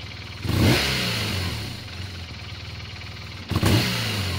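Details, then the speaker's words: BMW R1200RT boxer twin, not fully warm, idling about 1100 rpm; rider says it gets worse above half temperature in traffic. Full-throttle blips stumble, nearly stall, and pop with backfires: backfire and stumble on revving. "so we go right from here and i give it full you know full throttle just revving it up you'll hear her stumble actually almost stalled there oh there's a backfire"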